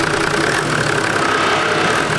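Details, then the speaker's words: Toyota Landcruiser 80 Series 1HDT diesel after alternator replacement, idling very softly: even, healthy tick-over with no knocks or squeals, faint buzz from a broken, vibrating muffler; normal diesel idle. "So the 80's all back in action. It's running mint now. The engine sounds way better. it sounds healthy."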